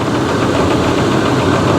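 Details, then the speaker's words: 2012 Chevy Cruze Eco at auction, idling: steady, fairly quick aggressive tapping from one side under the hood; lifters first suspected, possibly a deep knock, with a heavy misfire and an intermittent transmission-area whine also noted. "I also hear a pretty pretty aggressive tapping noise front the hood here it's coming from this side I think"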